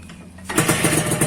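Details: Suzuki Satria 2-stroke (Lumba), dead for a month from a failed on/off button in the aftermarket right handlebar switch, now bypassed: it catches after a quiet moment and settles into a crisp, rapid, even putter; ignition restored, normal running.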